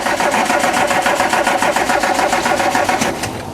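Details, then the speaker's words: Classic VW Scirocco, sat for a year; steady rhythmic cranking at about two beats per second with no firing catch. The fuel filter is not filling and the pump is weak, with cracked fuel lines. Won't start, a fuel delivery fault. "Nothing. We have a problem with fuel delivery then. The pump seems like it's kind of trying. It's just not overly enthusiastic about it."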